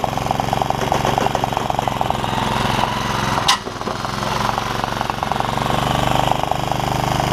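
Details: Honda HR194 push mower after ignition coil replacement and freeing throttle linkages, started at mid throttle: rapid, even single-cylinder putter that keeps running on its own and smooths out; normal idle.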